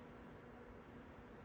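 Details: MSI RTX 5090 Gaming X Trio graphics card fans at 60% manual speed, about 2050 rpm: quiet, even airy hiss with no rattle, ticking or whine; fans running normally.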